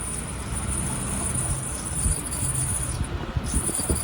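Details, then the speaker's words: 2011 Chevrolet Impala 3.5L V6 at 144,000 miles, brakes last done around 70,000 miles: piercing steady high-pitched brake squeal over road rumble when braking; all four rotors and pads replaced. "it's the brakes are making some really horrible squeaking noise as you heard i'm going to show you what usually is causing that"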